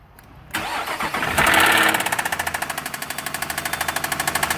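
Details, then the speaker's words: Car towed in with an engine rattle: engine catches, then settles into a fast, loud clattering rattle over the idle; oil badly overfilled. "so we've got this car that was towed in and they had a rattling in the engine yeah that's an understatement"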